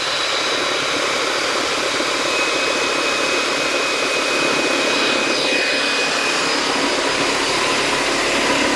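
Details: DeWalt D55146 oil-free air compressor, brought in for loud noises and not building pressure, switched on: harsh rough loud rattle instead of clean hum; something wrong inside the motor/pump assembly, cause unconfirmed.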